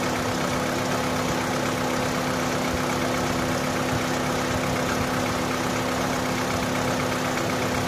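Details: Opel/Vauxhall that cranked but would not start, now fixed: steady, even idle with faint constant whine over smooth hum, no misfire or stumble; starts and runs normally.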